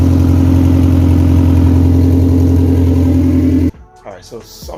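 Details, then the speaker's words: Car engine that won't start without starter fluid, idling about 1200 rpm after poor dyno day: steady, soft idle thumping, cutting off abruptly; compression doesn't feel right, rag over header barely moved, weak exhaust pulse; new Skunk2 Pro1 cams and distributor planned. "going on with the thing the compression just does not feel the same you guys saw i put the rag over the the header and it just wasn't even moving and that's idling at like 1200 before you know"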